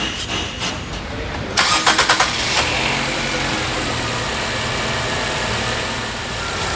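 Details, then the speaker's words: Engine misfiring (P0301) on wrong aftermarket spark plugs, after cleaning the plug and refitting coils; short crank catches quickly into a steady, even idle without stumble, not misfiring. OEM plugs still needed. Normal start and idle. "Okay, now right now it's not misfiring because we cleaned up that plug."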